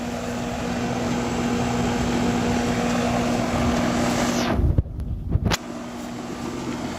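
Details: Amana 13 SEER 1.5-ton condenser after repair of a compressor that would not start (4-blink locked-rotor code), thermostat calling for cooling: even fan whoosh over steady low compressor hum, no buzzing or clicking; normal condenser operation.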